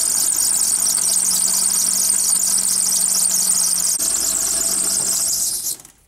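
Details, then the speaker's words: Serpentine belt on an idling car squeals with a piercing, steady high pitch after getting wet; water dried the belt out and made it slip, before applying a corn flour or cornstarch fix. "Bien amigos como vieron ese ruido que hace la banda es porque se mojó le entro agua entonces les voy a dar un tip de como quitarle ese ruido"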